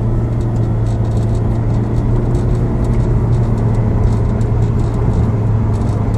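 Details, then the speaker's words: 2008 Audi S6 at 100 km/h after repair of misfire on cylinder three caused by water inside ignition coil and faults cleared: steady, even engine and road rumble, no vibration, no stumbles, no engine light. "Now, no light engine on, no vibration when the drive 100 is now. No uh problem at all."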